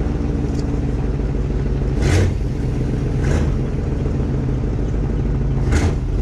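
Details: Chevy K5 Blazer, 350 5.7L V8, 4-inch lift, first start of the year after sitting, exhaust leak; heavy rumbling drone with harsh surge about every second from noisy rear axle, only in drive and reverse; owner suspects it needs oil.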